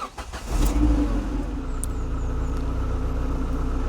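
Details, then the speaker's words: Ford Escort Mk6 project car, after a no-start; brief crank catches quickly and settles into a steady even idle, now starting fine; owner suspects a faulty temperature gauge sender, separate issue; normal start and idle. "Who knows, but notice it's starting absolutely fine now."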